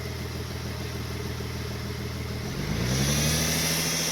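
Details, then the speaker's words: Power steering pump fitted the day before, engine idling, then revved while the wheel is turned: a rising whine follows the engine speed, and the new pump is judged bad and is to be replaced. "okay turn it off we have left from the power steering job so the power steering pump was a bad one"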